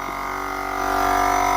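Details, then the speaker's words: Chevy Silverado 5500HD, newly installed air horn kit compressor, key on, air line not yet connected: steady electric buzz with thin whine, smooth and even, rising slightly as it comes up to speed; pump running normally. "We should hear the pump run. Well, you can definitely hear the pump run."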